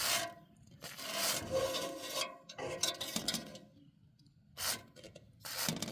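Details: Roof turbine vent turning with irregular raspy rubbing bursts and a faint squeak from a dry top bearing, heard before WD-40 is sprayed into the centre bearing, which silenced it without disassembly.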